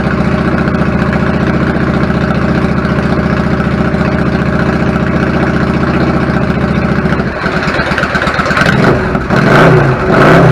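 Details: 1999 Yamaha V-Star 650 Classic, 650cc V-twin with twin carbs and 16K miles, after cleaning pilot jets clogged from sitting: an even, loping idle that picks up cleanly on a throttle blip with no misses; fixed.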